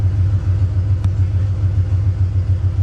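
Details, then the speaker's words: 1989 Ford F-150 V8 after throttle blade angle adjustment and timing rechecks, warming up before reaching operating temperature: low, steady idle in the 700s rpm, down from 1200, with even pulses and no misses or knocks; normal idle. "but she's finally idling smooth around I just saw 700 for a second there yeah we're in the 700s"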